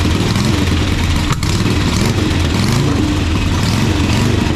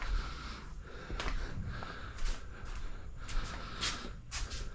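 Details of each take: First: 1985 Harley-Davidson Sportster Ironhead, sat outside, just started for the first time: loping V-twin beat settling toward steady idle without stumbles or knocks; sounds healthy. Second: 1985 Harley-Davidson Sportster Ironhead V-twin, sat outside a long time, first start attempt after oil added: steady cranking about 220 beats a minute for nine seconds, then a short loud catch that dies away; long crank, no start yet.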